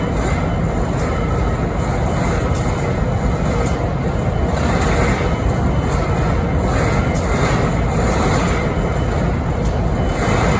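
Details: Idling BNSF 5910 diesel locomotive in Springfield, Missouri (11-13-2022): heavy, steady diesel rumble with faint recurring taps about once a second; unusual idle noise, cause not pinned down.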